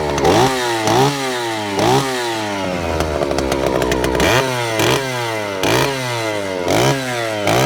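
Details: Vintage Stihl 041 Super, just over 70 cc, started cold: crisp blips to high revs roughly every second, falling back cleanly with an even mid-section; runs strong and healthy, normal running.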